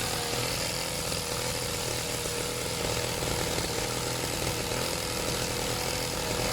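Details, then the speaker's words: Serviced pit bike / mini moto two-stroke being set to idle on its own; buzzy, high-pitched, fast and even with no misses or rattles; slightly smoky, fuel leak noted, owner plans an inline fuel cut-off; normal idle. "I'm gonna just the idle see if I can get it idling on its own"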